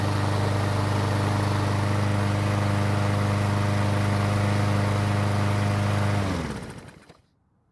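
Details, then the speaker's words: Troy-Bilt mower that wouldn't start after winter storage, now repaired (clogged carburetor jet cleaned, overfilled oil corrected, original fuel reused): smooth, even drone at steady speed for six seconds, then clean wind-down; healthy running. "it looks like we fixed the problem which was a clogged jet on the carburetor"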